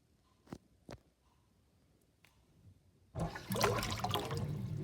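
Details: Kitchen sink draining with overflow covered: light taps, then water rushes away with uneven bubbling and gulping; gurgling drain.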